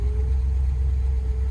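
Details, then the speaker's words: 1957 Chevy Bel Air V8, first start in 15+ years, next day after new plugs, battery, solenoid and fresh gas with fuel lines emptied: deep, lumpy, rough idle just after start-up; owner suspects the carburetor and may fit a new 2-barrel. "May need to get a new carburetor for it. It starts. It's just running rough."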